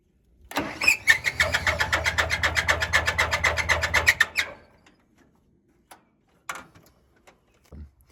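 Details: Massey 50 tractor, Continental Z134 engine, knocking with heavy blow-by after overheating-like episode while bush hogging; owner feared it blew up. Runs about four seconds with loud steady clatter ~4 knocks/second; noise came with belt tightened, traced to water pump.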